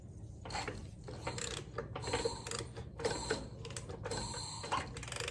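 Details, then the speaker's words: Gravely 816 tractor that sat a long time, engine turned over slowly by hand: rough dragging scrape in bursts about once a second, friction apparently in one cylinder; cause not yet known, suspected but unconfirmed. "there is clearly some uh friction going on in that cylinder"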